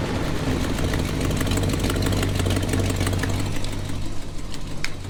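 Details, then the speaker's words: 1986 GMC truck V8 at idle: loose rapid ticking puff over the low rumble from exhaust manifold gasket leaks, before replacing with headers. "Pretty much a lot of that noise is exhaust leak. We're gonna try to get rid of that today."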